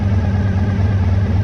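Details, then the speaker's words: 1985 VF1000R that sat three to four years and had a poor idle. After carb cleaning and balancing with an airflow gauge, the idle is set slightly high. Smooth, even burble that revs out and returns to idle nicely, so the idle issue is fixed. "so it's revving out nicely and it's returning to idle nicely so yeah I'm happy with that"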